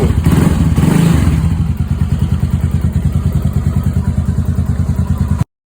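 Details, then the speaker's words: Loncin LX300GS (GP300) single-cylinder at about 6,900 km, reassembled after decompressor knock: decompressor mechanism removed. Steady even idle with no knock or tick; normal idle after repair. "Ось цей ланцінчик стоїть, зараз я заведу, покажу, як він має робити нормально. Як чуєте, ніякого лишнього звуку."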